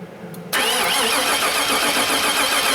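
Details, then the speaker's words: 2002 Chevy 2500HD 6.0 L plow truck, almost out of gas, dead battery: steady even cranking with bright whirring starter, never fires; spark tester at coil shows no spark on either bank. "Alright. Now, looks like we got no spark there. Let's just check another one."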